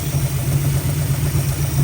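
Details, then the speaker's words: 1965 Mustang 289 V8 idling after the ticking fix, oil now flowing to all rocker arms: even, steady burble with no top-end ticking or stumbles; healthy idle, best it has run. "Oh man, that sounds way better. I think we have officially fixed the ticking noise. We've got oil flowing to all the rocker arms"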